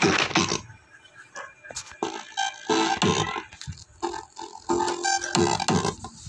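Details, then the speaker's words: Konzert 502 amplifier with Bluetooth/USB, speaker on right channel, music playing: harsh crackly sound breaking up on louder passages; distorted output on both channels per owner, cause not yet traced. "yun mga boss narinig natin So Basag yung tunog so ang pangit pakinggan mga boss"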